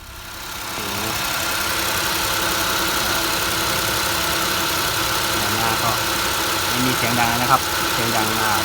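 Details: Nissan Almera/March/Note, cold start in the morning or pulling away; steady high-pitched squeal with chirps over idle from the front of the engine, loose slipping accessory belt, cured by adjusting belt tension.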